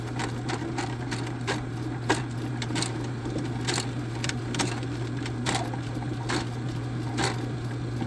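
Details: Drain snake clearing a clogged kitchen line, possibly roots, with a spade bit: steady motor hum with sharp irregular slaps about once a second as the spinning cable whips in the pipe; coils may be wrapping, pause and let it work.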